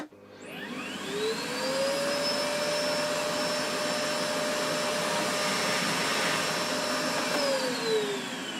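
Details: Bosch GS40 bagless vacuum (BGS4HYGGB01): motor spins up to a steady, strained, choked whine and winds down; suction is restricted by a clogged, very dusty filter and inner cone, and it ran well after cleaning.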